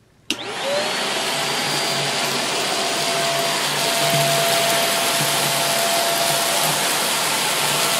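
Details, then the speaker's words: Greenote corded bagless stick vacuum (18 kPa suction, HEPA filter) sweeping a short rug: steady, even motor whine with airflow rush, running smoothly and picking up well, healthy vacuum; some harmonics noted when held in the air. "Well, it's certainly picking up this little rug here, and there was a lot of stuff on it."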